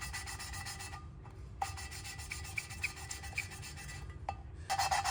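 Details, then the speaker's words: Valve lapping on an Allis Chalmers B cylinder head during rebuild: dry, gritty rasping strokes about once a second as the valve is worked back and forth with a suction cup; the lapping paste is cutting the seat evenly, normal. "Obviously, you can hear that grinding sound. That's the paste doing its job."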